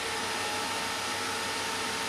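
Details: HP desktop computer that would not boot, on the bench after cleaning boards and RAM and reseating the CPU with paste: even, steady airy hiss with no ticking or rattle; CPU fan spinning smoothly.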